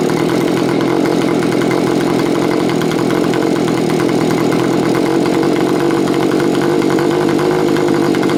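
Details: Stihl BG55 leaf blower after carburetor adjustment (low screw three turns out, high screw two turns out): steady, even two-stroke buzz with no surging or misses; normal idle.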